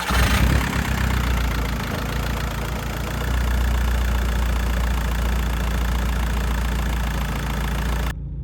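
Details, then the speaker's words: VW Bora 1.9 TDI diesel started after refitting the rocker cover to fix a suspected boost leak: it catches and settles into a steady, even low rumble with no extra knocks or hiss. A healthy idle while warming up. "Now, I know I'm probably going to have to drive the car to see if it's going to leak properly, but I'm just going to start it anyway and see if there's any obvious leaks."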